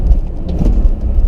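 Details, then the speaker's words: BMW E46 driving in first gear: heavy low thunks from the rear over road rumble on throttle lift-off and clutch-in shifts, with the differential feeling like it moves; owner suspects a worn diff bushing, unconfirmed. "So you really hear it coming from the rear end of the car when you lift off the throttle or when you clutch in and shift. You hear thunk, and you can feel, it feels like the whole differential is moving around."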